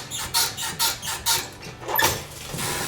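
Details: Motorcycle Pro-Link rear suspension squeaks high and raspy each time pressed down and released, needing lubrication; owner hopes the bearing is still good, dismantling the rear to fix.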